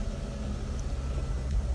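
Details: Mitsubishi Lancer 9 after a Euro 2 chip tune: low, steady rumble, settling into a clean, even idle with no misses, knocks or rattles. It initially would not start because the immobilizer had originally been disabled; it now starts with no warning lights.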